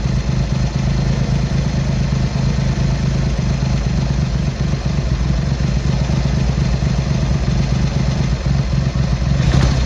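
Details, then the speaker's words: Triumph Hurricane X75 triple after carb rack rebuild and pilot screw richening, left carb corrected: deep, steady, even idle without stumbling; runs okay but rich on idle, dark smoke when revved off idle; left carb body suspected faulty. "It's across the board, when you rev it off idle, getting a little bit of dark smoke out the back, so it's running on the rich side on idle"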